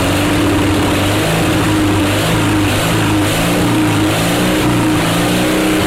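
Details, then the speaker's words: Onan Performer 20 HP twin-cylinder engine, bought to repower a John Deere 850 compact tractor, test run off the tractor: steady, even drone at constant speed with no knocks, misses or surging. Normal running. "that she runs like that she's a runner baby she is a runner"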